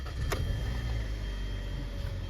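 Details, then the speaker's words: 2013 Hyundai Sonata steering after repair for steering wheel noise, reassembled and tested: only a low, even hum while the wheel turns, no creak, clunk or knock; noise gone. "there you go no more noise it's fine now it's a quick job"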